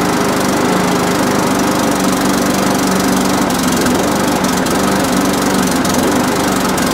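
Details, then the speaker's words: Briggs and Stratton push lawnmower, bought in a job lot last winter, that would not start: after priming it runs with a loud buzzy single-cylinder drone and a ragged beat; spring far out of place, carburetor suspected dirty, gasket and diaphragm planned. "okay so it does run it does it does not run right um and that's half because of that spring is nowhere near where it needs to be i say the carburetor is actually dirty on this"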